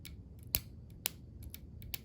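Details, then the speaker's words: Porsche 944 windshield wiper motor removed and bench-tested, wired straight to the battery: sharp isolated clicks with no running hum, motor clicks but will not spin, seized; to be taken apart and repaired. "I can hear the motor clicking but it's not spinning so that means it's seized up it's broken and we can fix it"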